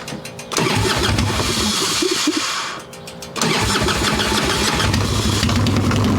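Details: Harley-Davidson Evo Softail, warm engine without choke, carb loose with choke plate removed, mixture screw being backed out from seated: cranks, catches and settles into a lumpy, uneven idle; intake air leak, later traced to loose intake bolts and cracked vacuum cap.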